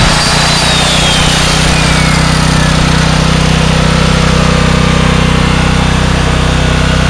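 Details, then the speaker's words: $100 4,000-watt small generator restarted after a brief interruption, not fully cold: a steady, even engine drone at constant speed with no misses or knocks. It is running normally. "So yes, it does run."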